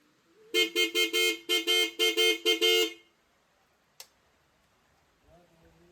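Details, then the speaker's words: Aftermarket horn newly fitted to a bike via a horn relay, tested during heavy rain: about ten quick, loud honks with steady bright pitch and full strength; rain partly masks it, but the horn is working properly and strong. "इधर काफ़ी ज़्यादा बरसात हो रही है, इस वजह से हॉर्न की आवाज़ कम आ रही होगी और बारिश की आवाज़ ज़्यादा आ रही होगी। बाकी हॉर्न बहुत ही तगड़ा है भाई, आवाज़ बहुत ज़्यादा है।"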